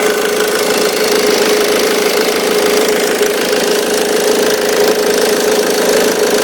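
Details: 2005 Ford Mondeo Mk3 2.0 TDCi 130 hp (96 kW) diesel idling with a fast, steady rattle and faint tone on top: worn auxiliary belt tensioner noise.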